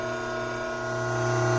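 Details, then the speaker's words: Hydraulic pump running under normal conditions before any inlet restriction, with inlet vacuum of 3 inHg and system pressure around 310 psi; smooth steady hum with a constant whine, no crackle or rattle, no cavitation. "Prior to creating an inlet restriction on this pump, let's get a few background readings while the pump is operating under normal working conditions."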